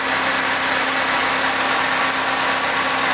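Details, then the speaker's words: Second-hand Triumph Dolomite 1300 four-cylinder just fitted to a Gentry MG TF replica, first start, warmed up and burning off oil. It ticks over smoothly with a steady hum and no knocks or stumbles, a healthy idle. "sounds really sweet I'm really pleased with that engine so far"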